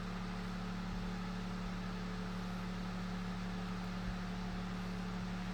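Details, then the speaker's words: Vintage Knapp Monarch Jack Frost 8-inch single-speed table fan, late 1940s–early 1950s: fast steady hum with a low rhythmic throb, high-RPM blades out of alignment and off balance, making a slight vibration noise. "the blades are a bit out of alignment and this is a pretty high RPM fan so it definitely throws it pretty well off balance so it's definitely makes a vibration noise"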